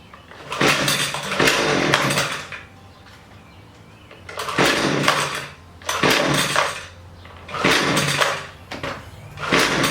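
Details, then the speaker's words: Husqvarna 128LD string trimmer; each throttle blip surges a second or two then sags and bogs instead of holding revs, low-speed carburettor mixture needs adjustment. "So every time I'm hitting the gas, the weed eater is bogging down. So I'm going to make an adjustment on the carburetor."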